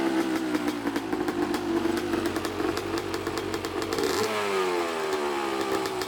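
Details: Neglected 2014 Yamaha YZ250 two-stroke dirt bike, trail-ridden and previously fouling plugs: crisp, busy crackle settling into an even idle, no misfire or bogging; runs healthy, probably needs no carb clean.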